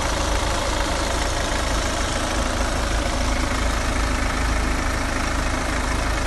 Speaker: so it has been running for probably 10 to 15 minutes hopefully as you can hear there's no rattles or flywheel